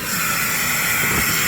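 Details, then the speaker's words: Chrysler/Dodge minivan, severely overheated from a coolant leak, just started: a steady loud hiss of air being sucked in. Vacuum leak; heavy coolant loss and a misfire shake follow. "Let me look at something. All right. Oh, I got an air leak. Oh."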